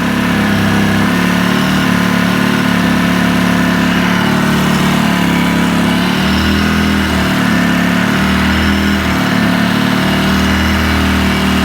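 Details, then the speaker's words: 2010 Polaris Ranger RZR 800 S on first start after engine rebuild, check engine light on: fast, busy idle with slight low throb wandering up and down, far higher than it should be with no throttle; owner suspects throttle pull, unconfirmed. "It should not be that high. There shouldn't be any throttle on that thing at all."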